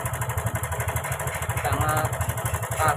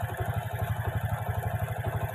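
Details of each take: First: Karisma motorcycle with a rough sound and oil leaking from the block: uneven rapid ticking clatter about four times a second at idle; a loose cam chain or a failed automatic tensioner is suspected, not yet confirmed. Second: Honda Karisma motorcycle after replacing only the cam chain and its tensioner, plus fixing the oil leak and cleaning the oil and valve rings, no valve work; idle now smooth and even with no ticking; normal idle.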